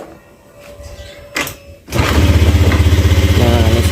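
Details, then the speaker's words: Honda Beat FI scooter after full engine rebuild, owner complained of rough noise; restarted with CVT reassembled: catches after a few clicks into a smooth even idle, no rattle, so rough noise traced to worn CVT rollers and roller housing. "suaranya halus ya langsanya juga halus jadi bisa dipastikan suara kasar tadi itu dari bagian CVT ya kirian ya"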